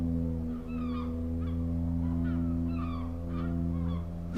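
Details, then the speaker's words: Genesis GV70 creeping forward slowly as in traffic: deep, steady foghorn-like groan, likened to a sinking ship, from the brakes; low-speed brake groan. "The brakes are quite noisy when you're just creeping along at slow speeds. Have a listen to this."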